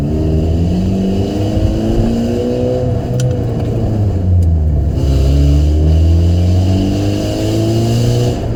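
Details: 2005 Saturn Ion, bad flex pipe leaking exhaust (new pipe bought, replacement planned): loud uneven rasp and puffing rising and falling with revs, a sputtering almost-backfire noise while the engine is revved.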